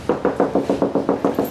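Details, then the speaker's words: Canon S100 compact camera lens in autofocus: fast, even pecking of about six or seven soft knocks a second while hunting focus, annoying when recording in quiet rooms; the workaround is turning autofocus off. "and it it pretty much sounds like that um it's very annoying uh a lot of people say it's no big deal yes it is a big deal if if you're if you're recording in a quiet environment"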